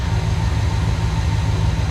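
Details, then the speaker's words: 1976 GMC 350 V8, warm, after valve seal work and carburetor mixture-screw adjustment: a deep, even idle with a steady low burble and no misses or knocks. It sounds healthy, though it is still smoking. "I could hear small changes on our mixer screws there, but they're pretty much where they needed to be. She sounds pretty healthy."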